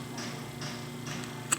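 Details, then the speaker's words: Noisy fan after cleaning and oiling its parts and reassembly: quiet even hum with faint soft swishes and one light click, no rubbing or squeak; the fan now runs smoothly. "Ahora sí ya lo tengo armado el ventilador y ahora sí a aprender miren que ya no hace ese sonido que a lo que gira hací un"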